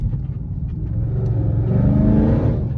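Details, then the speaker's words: 2012 Chrysler 300C after cam and lifter repair, newly fitted Corsa exhaust, driven with foot to the floor: deep V8 rumble climbing smoothly, no boom, rattle or drone, barely heard inside, all out the back; healthy exhaust. "Even we foot to the floor, I can't really hear it inside the car. You hear it all out the back. So that's good."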